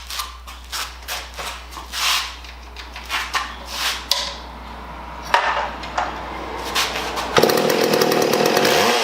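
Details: Mac Timber Bear chainsaw test run after fixing a shrunken fuel line that leaked at the tank hole: starts after a few short pulls, then runs with a clean steady buzz, revving up and down evenly.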